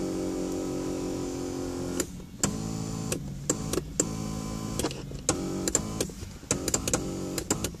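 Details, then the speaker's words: Driver's electric seat motor in a 2016 Mazda 3 Axela; it whirs with a buzzing tone in short stop-start runs, louder than it should be. Owner wonders whether it is broken or something is stuck; cause unclear. "as you can see it's also thec electric forgot it's actually pretty noisy well may it's broken or there something stupped there it's very noisy listen to"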